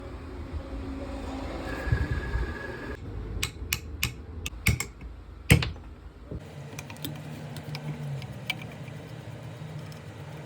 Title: Window AC Motor Bearing Change | Sound problem #automobile #lifeisbutadream #repair